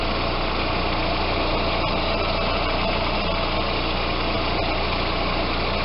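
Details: Audi A4 after power steering fluid flush and change (about 1.8 L): steady even idle, pump no longer humming or whining.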